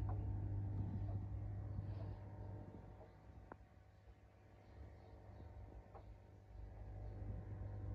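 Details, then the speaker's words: LG inverter direct-drive 8 kg front-load washer after replacing its faulty start/play push button: a quiet, even low hum with a soft rhythmic turning and no knocks or scraping; running normally. "अभी यह function properly कर रहा है ये आप देख सकते हैं"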